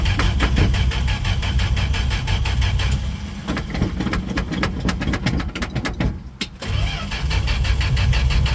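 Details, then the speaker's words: 1968 Dodge D100 hard start: starter grinds the engine at about four beats a second for several seconds without catching; it fires only after gas is poured down the carburetor throat; cause unclear. "Come on, baby. Holy gas, really taking its time."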